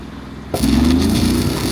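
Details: Hobart Champion Elite 225 welder engine after replacing the idle solenoid, which had caused slow idle-up: quiet, then picks straight up to steady higher-speed hum with no lag or hunting; normal high idle.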